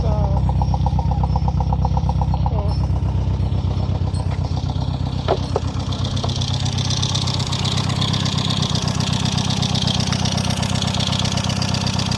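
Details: Peugeot engine after repairs for valve damage blamed on a low-quality head gasket, idling with an even, regular pulse around four beats a second, settling steady without knocks or stumbles; sounds healthy.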